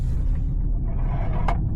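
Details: Used Porsche Cayenne driving and turning: one brief sharp scrape-click over road rumble that seems to come from the dash under the steering wheel, but is a loose object sliding in the hidden under-seat compartment.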